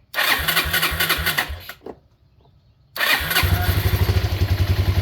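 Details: 2001 Yamaha Breeze YFA1 with newly fitted aftermarket carburetor, fuel tap on reserve: cranks, fires, stalls briefly, then restarts into a steady, even single-cylinder putter at idle; runs healthy.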